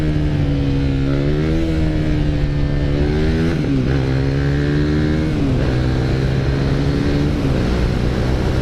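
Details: 2016 KTM Duke 390 after a shop fixed its cold-weather idle/stalling (owner had already cleaned injectors and throttle body; shop fitted parts): the single pulls cleanly through rising and falling revs on the road, smooth even exhaust, no stumbling; normal running.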